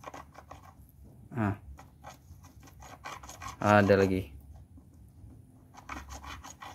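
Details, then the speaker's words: Perodua Myvi manual gearbox, opened: grating noise that stops with clutch pressed and returns when released; gritty rasping with chirpy squeaks as the shaft is turned by hand, pointing to a rough gearbox bearing. "jadi bila kita lepas kelas ini akan pusing semua nih bayangkan dia bunyi lagi"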